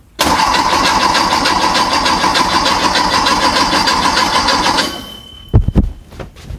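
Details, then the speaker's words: A freshly built VW/Porsche Type 4 flat-four on a test stand at first fire: about five seconds of steady rhythmic cranking with no firing. Cranks but won't start; cause: no power to the ignition coil. "Huh. That's what the problem was. What was our problem? We don't have any power going to the coil."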